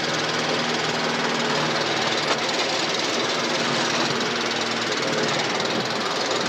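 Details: Briggs & Stratton 450E mower after full service (came in starting then cutting out after seconds; stood a few years, old fuel in tank), steady even engine note, no misses, ticking over sweeter as fresh fuel pulls through; running normally.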